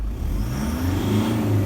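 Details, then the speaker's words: 2013 Toyota Hilux 1KD-FTV diesel with new DLC injectors, free revving in the workshop: a smooth, even drone with no rattle or knock. Its rattle appears only when warm under light load at around 1500 rpm; not the injectors. "It's a clean revving engine. Right, it's not rattly, knocky or anything."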